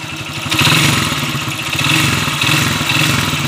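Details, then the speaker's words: Honda TMX155 motorcycle idling with a loud metallic clatter and knock in time with firing; the mechanic calls the connecting rod badly worn. An original rod and bearings are bought as replacements. "rod connecting rod na to boss kay yan oh Malala na yung connecting rod niya"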